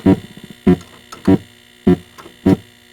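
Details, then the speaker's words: Atari Asteroids multi-game arcade board: still no thrust sound, and a steady low hum in the speaker under the thumping beat, never fading between beats; sound fault on the game board suspected, cause not confirmed. "still absolutely no thrust sound but I do hear that hum in the speaker"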